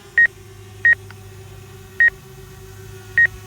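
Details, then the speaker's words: Hubsan Zino Mini Pro drone on its first flight, in normal mode: short, sharp obstacle-warning beeps over a steady hum as it detects an object ahead, but it does not stop. "let's go back into normal mode and you can hear it beeping but but it isn't stopping"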